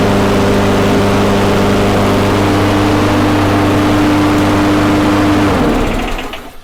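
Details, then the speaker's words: Poulan Pro two-stroke after correcting the spark plug gap from about 0.015 in to 0.030 in: steady, even high-pitched buzz held five seconds without stumbling, then shut off; smooth running at high speed after the fix. "see how much smoother it is so hopefully that was a better representation of what it should sound like"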